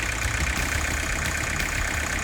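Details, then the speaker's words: 1984 Ford Escort diesel barn find, non-running for years, first start on fuel from a can, fuel flowing through the return line: steady, even idle with a solid low thrum, no knocks or misses, heavy smoke; running healthy. "It fired right off with fuel from the can. Oh my god, it's incredible."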